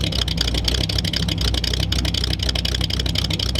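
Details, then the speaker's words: 1938 Ford convertible with newly built true dual exhaust, barely run: uneven lumpy idle pulsing about four times a second with deep rumble, black smoke and fuel smell that worsened while idling. Suspected rich, needing carburetor adjustment. Rough rich idle. "A lot of smoke, man. Oh, it's running right. You gotta adjust the carburetor. That's all."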